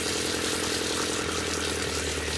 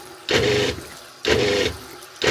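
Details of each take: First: RV water pump after installing an intelligent variable pump controller: quiet, even hum with water hiss, no surging, smooth down to a trickle. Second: RV water pump buzzes on and off about once a second, surging when the tap draws less than full flow, before an intelligent pump controller is installed.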